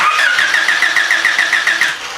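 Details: Honda, no-spark crank-no-start during coil test: starter cranks steadily about eight pulses per second for two seconds but engine never catches; no spark.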